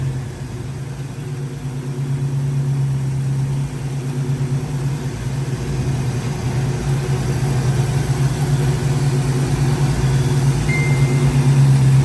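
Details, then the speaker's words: V8 idles deep and steady with a smooth, even lope, no misses or rattles, right after a new Allstar Performance distributor was installed, before timing is set with a timing light; sounds smoother, normal healthy idle. "Let me get the timing light out. That sounds smoother right there."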